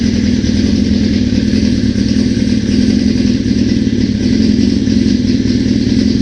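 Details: 1981 Suzuki GS650GL under rebuild, new battery, fresh plugs, oil, pod filters: loud, steady multi-cylinder drone on choke with even firing, no misses or knocks; runs smoothly, though owner notes carb fuel leakage.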